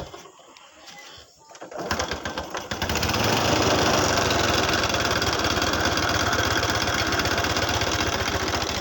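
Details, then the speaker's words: Honda Revo motorcycle that ran out of oil, letting the piston hit and bend the valves and the loose cam chain jump timing; now repaired with a new chain: the engine fires and idles steadily with a light, rapid ticking from loose valve clearance and an exhaust leak. "kemarin pengaruhnya klotak klotak suaranya dikarenakan topnya loncat disebabkan olinya habis"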